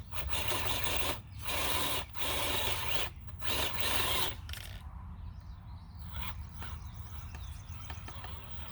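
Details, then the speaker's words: FCX18 K10 RC rock crawler climbing rock: rough rasping bursts in uneven pulses as the rear wheels drive and strain, tire rubbing at the rear, holding the truck back. Tire rub. "This is where tire rub is really holding me back. So we will take care of that ASAP. You hear that in the rear there. I mean, that is just trouble."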